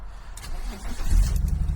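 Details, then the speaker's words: BMW E46 330Ci convertible, misfiring since purchase: it cranks and catches into a lumpy, stumbling idle with uneven low thumps, misfiring badly. Owner suspects a part with a slit causing a vacuum leak. "Like as you can hear it's really misfiring badly. And I think I might know why."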